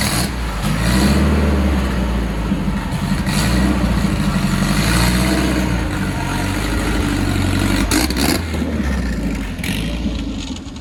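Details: Built turbo Volvo wagon drift car on MegaSquirt, firing order fixed after miswired engine harness: engine idles, revs and settles with a steady, even beat, no misfire or stumble; running smoothly on all cylinders.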